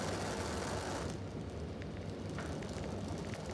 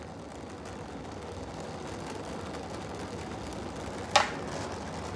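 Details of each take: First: Oxy-acetylene torch with a rebuilt oxygen regulator, neutral flame with a nice cone while gas welding: a soft, steady rushing hiss, not too loud, with no popping or roar; properly set flame. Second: Oxy-acetylene torch with a rebuilt regulator, gas welding: a steady soft hiss broken by one sharp pop. The flame was set a little too cold; dirty metal or a tip held too low can also cause popping.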